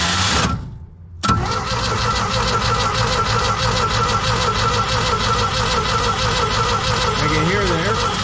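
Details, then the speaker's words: Old Sullair 185 gas compressor with engine switch missing, cranked to push fuel through the line to the carburetor; even cranking about three beats a second, never catches, no spark, fuel spraying toward exhaust. "well I'm sure glad that we didn't spark because it was shooting fuel right there to the uh exhaust but we got fuel there"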